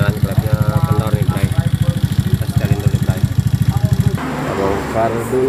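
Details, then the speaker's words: Honda Beat FI injection scooter, single cylinder, idling with noisy engine: fast even pulsing with light tapping on top; excessive valve clearance, fixed by adjusting valves to standard setting. "Oke Bray, ketemu lagi Bray, motor Beat injek. Ini kendalanya isinya berisik ya."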